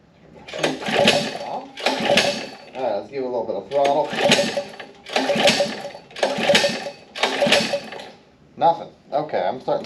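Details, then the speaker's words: Gas-engine Power Wheel build. Short bursts of starter cranking, roughly one a second, with the engine never catching: cranking no-start. Fuel confirmed in the bowl and spark present; cause not yet found. "let's give this thing a shot okay nothing so far nothing at all"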